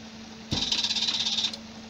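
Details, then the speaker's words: Sealey MightyMig 140XT MIG welder after replacing a faulty PCB transformer, recorded close to the wire feed motor as the trigger is pulled: short, even high whir of about a second; the motor spins up cleanly and sounds healthy. "the wire motor is actually down here so you're not going to be able to see that that moving um but i'll i'll hold you closer so you can hear it working when i pull the trigger"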